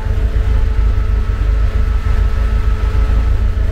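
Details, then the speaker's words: Talbot Express at idle, engine at 90 degrees: electric cooling fan switches on with a steady low whir, no rattle or scrape; fan previously would not come on, fan switch suspected as the fault. "ah the fan come on 90 degrees and the fan come on i don't know if you can hear that"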